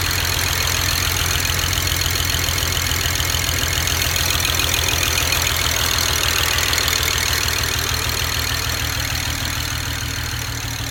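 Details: 2008 BMW 135i N54: uneven, lumpy idle with a recurring stumble about three per second; cylinder 6 misfire from a bad injector, running on five cylinders and nearly undrivable.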